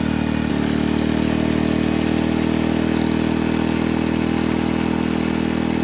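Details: Barn-fresh 1951 Briggs & Stratton 6B-SF, rated 3600 rpm, running with air cleaner on: steady, high-pitched even drone, no hunting or surging; no tachometer, owner thinks it runs a little fast.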